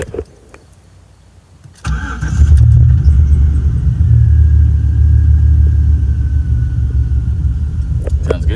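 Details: Pickup truck after engine swap, replacement engine and transmission about 80,000 miles (truck 279,568): quick crank, catches at once, smooth deep even idle with no knocks or misses; good oil pressure, battery charging.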